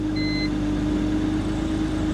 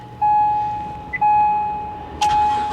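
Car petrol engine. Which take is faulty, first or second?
second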